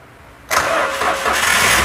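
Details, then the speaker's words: Toyota Grand New Avanza / Daihatsu Great New Xenia after replacing a broken starter relay that had left the starter not turning; after a quiet moment the starter spins and the engine catches at once, settling into a steady run, starting normal again. "Nah ya, sekarang starternya sudah kembali normal lagi."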